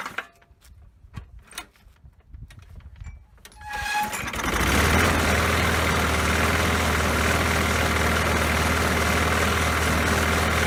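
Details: Poulan Pro lawn mower after fixing a missing throttle spring: a few rattles, then it catches and settles into a steady, even single-cylinder run with no misses or surging.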